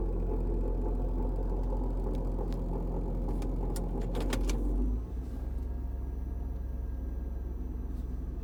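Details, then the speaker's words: 2002 Kia Sedona EX, about 55 °F cold start, shifted into drive and reverse, with new timing belt, water pump, tensioner and idler: low growl from the belt side changes as rpm drops; owner suspects power steering belt, pump, tensioner pulley or serpentine parts, unconfirmed. "so when the rpm goes down that noise huh really i'm thinking maybe maybe power steering something is i don't know the belts are good and tight"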